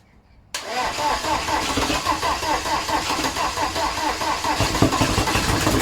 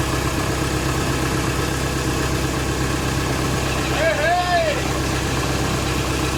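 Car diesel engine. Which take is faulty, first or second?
first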